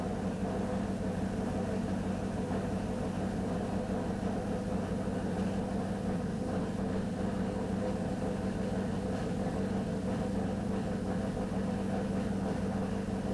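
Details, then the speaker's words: 2002 Pontiac Trans Am WS6 LS-style V8 with FAST intake, first start after full build on a very rich startup tune: steady even low rumble, no knocks, misses or hunting; normal idle, smoke test for vacuum leaks still planned. "otherwise it runs fine I mean it's set up to run like really fat in the beginning just to make sure that it runs and everything"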